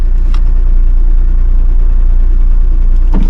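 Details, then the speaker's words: Used VW just started: heavy low idle with a loose, uneven rattle about two pulses a second; owner suspects flywheel, likely needs clutch and flywheel; rattle at idle. "She starts up. I can hear that flywheel rattle. Probably hear it yourself."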